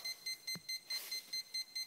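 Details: Turnigy Plush 12A ESC on a quadcopter, connected to a KKmulticopter board motor output: evenly spaced high beeps about five per second, continuous; fault unresolved, ESC works fine direct to the receiver and throttle range was set.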